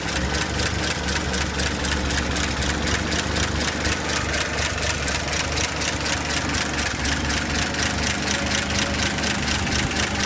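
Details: 235 engine after a carb rebuild, new ignition coil, plugs and wires, running with the valve cover off. Uneven loping idle about twice a second with loud valve clatter; owner suspects a leaky head gasket, not confirmed.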